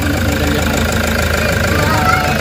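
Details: Toyota HiAce diesel after the EGR fault (codes P0400/P0406) was fixed and codes cleared: even, steady diesel clatter at idle with no stumble or hunting; the engine is running smoothly.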